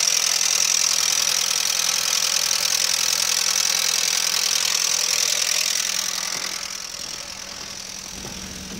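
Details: Audi 80 B3: steady sharp metallic tapping over the idle, calmer once warm; owner first suspected hydraulic lifters or oil pump, teardown showed scored bearing shells from low oil pressure due to oil pump, requiring overhaul.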